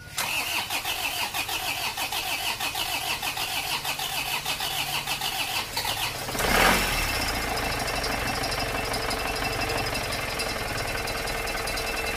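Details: Isuzu Panther diesel after an engine rebuild, injection pump timing unchanged, started with water instead of a fitted radiator: a short burst, then a steady, even clatter with no knock. Smooth, normal idle.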